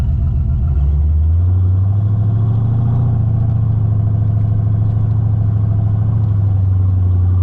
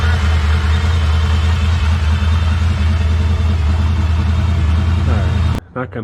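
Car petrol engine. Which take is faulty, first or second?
first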